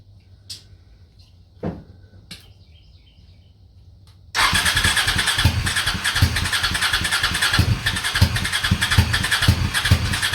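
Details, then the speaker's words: Honda Shadow twin with about 20k miles on the same oil, parked four years: after start it runs rough and lumpy as if on one cylinder, with a backfire; owner suspects sticking valves from no oil changes. "Running on one cylinder? Yeah, that sounds awesome."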